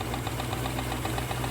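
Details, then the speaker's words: Rolls-Royce Silver Shadow V8 at idle: quick, even knocking tick from the engine-driven hydraulic pump running normally; it powers the suspension, brakes and steering on RR363 fluid, and the hydraulic system was recently rebuilt. "Now, you've heard that knocking, ticking noise. That's the sound of the hydraulic pump running."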